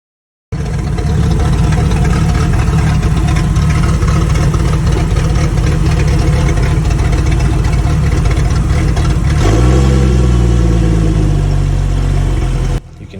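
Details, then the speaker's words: Jeep Cherokee warmed up, idling very low and rough with an irregular stumbling misfire, trying to stall; it ran well cold, compression was okay, spark plugs were due but not too bad, and fuel pressure read the correct 40 psi. "how bad is misfiring in this video and uh trying to stall out it was idling really poorly and really low having a lot of issues"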